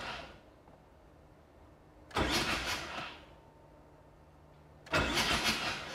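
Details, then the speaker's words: 7 rotary engine that sat for years, oil pressure gauge fitted, bumping the starter to check it turns freely before compression test: two short bursts of brisk even cranking, no firing; starter solenoid suspected failing; cranking sounds normal. "I'm gonna hit the starter a few times since it's been sitting forever just to make sure everything's free"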